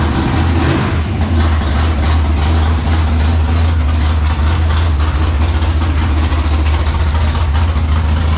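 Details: 1957 Chevy pickup with a swapped big-block V8: loud, deep rumble with a lumpy, uneven beat and sharp exhaust crackle, a choppy idle, timing likely a touch off.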